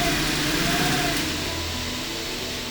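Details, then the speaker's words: Okuma lathe boring with a long, chatter-prone boring bar after Machining Navi LG spindle-speed oscillation is activated: smooth cut, faint tones slowly drifting in pitch, no ringing chatter squeal. "now the spindle speed is changing permanently and the boring bar cannot come to a resonance"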